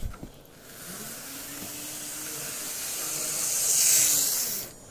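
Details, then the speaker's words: Graham Farish N gauge GNER HST power car, Poole-type chassis, running slowly after fix; high even whirr swelling and fading, no stutter; fault was a gear too thick for the worm gear. "seems pretty happy doesn't it"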